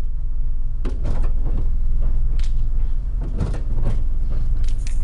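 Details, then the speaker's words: SUV driven slowly with an exploded tire: uneven scraping and thumping about four times a second over low road rumble as shredded tread scrapes inside the wheel well. "if your wheel if your wheel does that it's in bad shape don't drive your car"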